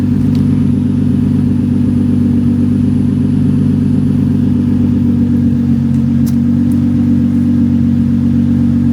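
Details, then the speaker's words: Nissan 350Z with a roughly stock exhaust but the muffler disconnected: loud, deep, raspy drone at idle, far harsher than stock. Exhaust leak with the muffler disconnected. "That's what it sounds like with that exhaust. It's pretty much, I think it's pretty much stock exhaust, but no muffler, because obviously the muffler is not connected."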